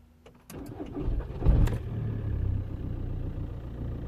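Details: 2006 Volkswagen Golf Plus 1.9 TDI (BXE), glow plugs brand new, restarting after running: starter churns over a second before the diesel catches and settles to idle; long cranking traced to faulty camshaft sensor wiring.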